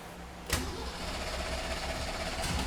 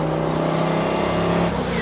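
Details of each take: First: 1971 Datsun 240Z "Rotsun" turbo, first start after the fuel pump primes: fires right up, then runs lumpy and uneven before picking up revs; a stuck carburetor needle and seat is suspected. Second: 1971 Datsun 240Z (Rotsun) turbo car, on the road: hard pull under boost, then throttle lifts and the blow-off valve vents with a quick rushing hiss; turbo makes boost but fuel pressure does not rise with it, risking lean running.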